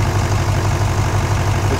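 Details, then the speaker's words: Modern diesel truck that customer thought had a hole in a piston; bore-scope confirmed serious damage with suspected metal contamination of the fuel system. Rough idle with a dead miss and a rhythmic heavy chuff about five times a second, puffing the oil cap; crankcase blow-by from a cylinder. "Okay, you see that? That's a dead miss."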